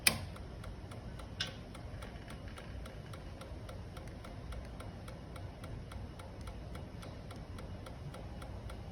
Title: 2012 Ninja 650 no start power 😢 I don’t know what to do!!! CAN SOMEONE HELP 🥺